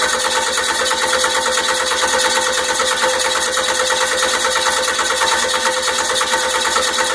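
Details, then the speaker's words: 12V 5.9 Cummins diesel, first start after a complete engine rebuild: steady, even starter cranking that never catches or fires; cranks but won't start, timing suspected though the owner has checked it many times, valves to be inspected next. "well it's not going to start so it's not going to start I have something something's wrong"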